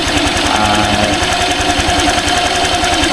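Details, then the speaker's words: Honda Click 125i scooter after DIY tune-up with gap set: steady even idle with quick regular putter, earlier ticking gone; smooth healthy engine. "Ayun guys, at pinong-pino na yung kanyang tunog, hindi kagaya nung nakaraan na talagang sobrang may lumalagitik-lagitik sa kanya. Ngayon is okay na yung kanyang tunog."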